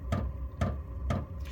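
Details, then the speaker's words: Diesel parking heater (8 kW all-in-one) on AC through a 12V supply, in a shed, just after startup ignition with flame on. Steady low combustion rumble with the pump ticking about twice a second. It smokes until the stainless steel heats; running normally. "And you can just so ever slightly hear the ignition. And you can hear we got flame on."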